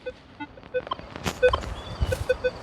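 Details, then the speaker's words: Minelab Equinox 800 in Field 2 mode chattering with irregular short single-pitch beeps over faint hiss; electromagnetic interference with sensitivity set too high, still chattering at 18 before being lowered further. "so you can hear the detector chattering right now my sensitivity is too high so what I want to do is make sure that I lower this down"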